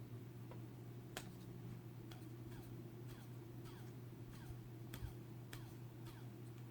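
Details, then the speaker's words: Racerstar BR2206 2300KV brushless motor held close to the microphone: quiet, steady low hum with no grinding or bearing roughness, the smoothest of four motors, one of which has a shot bearing. "this is pretty interesting so this one sounds really smooth"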